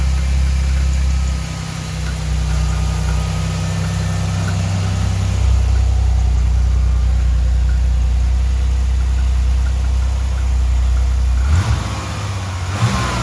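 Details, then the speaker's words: 1989 Chevrolet Celebrity base model, 205,000 miles: low idle rumble hunts up and down, sags too low, surges, almost dies, then catches itself; vacuum leak causing idling problems, IAC valve to be swapped. "But it's going up and down, up and down. Then it goes too low and it surges and almost dies and then it catches itself."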